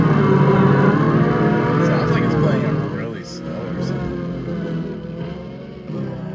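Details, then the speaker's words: 1979 Trans Am 455 5-speed, newly installed 8-track player plays music low and sluggish, about half proper pitch and tempo; owner read that dried-out belts cause slow playback, not confirmed. "I read online that it plays slow if the belts dried out and not moved up so we've got like half speed music coming out of try it's better than nothing I guess"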